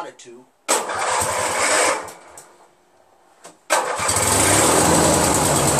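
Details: Craftsman DYT4000 repowered with a 14 hp Briggs twin, battery fully charged with the charger connected: catches, runs about a second, bogs and dies when the PTO clutch loads it; restart keeps running. Owner suspects PTO/crankshaft length mismatch or the stator; unconfirmed.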